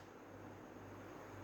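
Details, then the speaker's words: 2013 Toyota Aqua hybrid running on engine after repair: quiet, steady, smooth hum with no misfire; the earlier rough "gad gad" misfire and engine light were caused by water inside an ignition coil. "ये आप देख रहे हैं इंजन से स्टार्ट है माशाल्लाह, तो स्मूथ है।"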